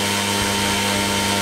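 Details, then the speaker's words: Goblin 500 helicopter spun up to half stick in normal mode, then switched to idle up one (set for 85) and idle up two (set for 95): steady motor and rotor whine with no pitch change; head speed does not change between flight modes on the first cycle. "now I'm going to go into idle up one you notice there's absolutely no change now I'm going to go to idle up two"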